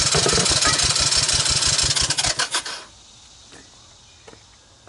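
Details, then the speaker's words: 1984 Honda ATC200ES with low compression, spark confirmed with a portable CDI, starting fluid added: even cranking about three chugs per second that never fires, with mist blowing back from the carburetor, meaning an intake valve is leaking. "you see that mist like being blown away from the carburetor that means it's exhaling through the intake valve not a good thing"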